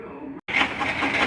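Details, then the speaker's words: Lathe plunging a carbide tool into a titanium valve to cut a keeper groove: loud, busy whirring with a pulsing hiss from a noisy headstock, cause unclear. "all right maybe you can hear me over this noisy headstock in this lathe"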